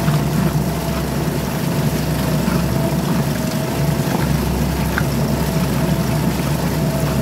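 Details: Suzuki DF2.5 2.5 HP outboard in water tank test after no-start repair, fuel valve and tank vent open: steady, even constant low drone with water churn, no misfires or stumbling; normal running.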